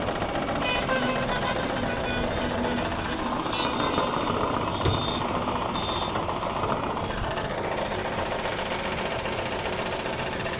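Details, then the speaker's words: Maruti Suzuki WagonR K-series three-cylinder at idle with check engine light blinking: lumpy, uneven stumbling beat and heavy engine vibration; one cylinder dead, engine also consuming oil, owner suspects overheating; dead cylinder misfire. "क्योंकि देख सकते हैं engine कितनी बुरी तरीके से vibration कर रहा है और गाड़ी मिसिंग भी कर रही है"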